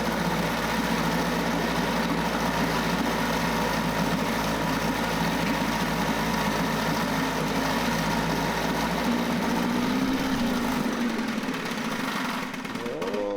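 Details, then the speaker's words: 9.8 hp Mercury 110 two-stroke outboard after new water pump impeller and lower unit seals: runs steady and buzzy, then fades and dies; stalling, suspected out of fuel in the gas tank rather than a motor fault. "sounds like it ran out of fuel i actually think i'm out of fuel in the gas tank so that might not be the motor's fault"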